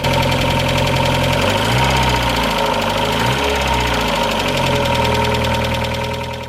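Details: Mazda Miata petrol engine at idle with a fast, light lifter ticking about four ticks a second, recorded before adding Rislone engine treatment and doing an oil change.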